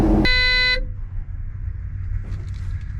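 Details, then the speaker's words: Cat 730 diesel being picked up in Baltimore: harsh steady warning buzzer sounds about half a second over the diesel rumble then cuts out; it buzzed for 10 to 15 minutes, and the cause is unclear. "I lived through that for a solid 10 minutes, probably 15 minutes, where that thing was just buzzing like crazy until I figured out what the problem was."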